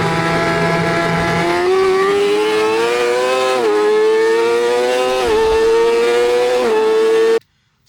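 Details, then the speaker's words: Yamaha R6 track bike, inline-four: smooth revs, with a faint rattle like pebbles in a vacuum cleaner at neutral throttle that began at a track day. Engine rattle at neutral throttle; cause unknown, and a valve adjustment is planned. "It sounded a little bit like rocks or pebbles inside of a vacuum cleaner and I'm not too sure why it's coming out of my motorcycle. This different engine noise starts to come on when I'm at neutral throttle."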